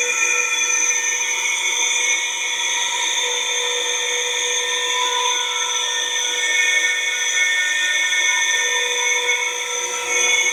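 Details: Kawamoto N3-206SH well pump, flange and accumulator missing, suction untested; motor gives a steady high-pitched whine with several bright tones and little low hum, an abnormal motor noise of unclear cause.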